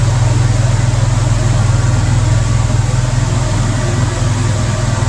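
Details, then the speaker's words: Ford after an EGR code 332 repair, first start: steady, fast idle that drops when the idle air control valve is unplugged and rises again when reconnected. The owner suspects the throttle position sensor. "little high though comin down the high idle had to unplug my idle air controller here and it went it lowered it but I plug it back here and it goes way back up"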